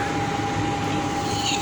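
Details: Payne furnace that clicked with orange LED but no heat, after cleaning, re-crimping a loose connection and bypassing a popped fuse for testing: inducer motor hums steadily at one pitch with even airflow rush, no rattle or scrape; normal running.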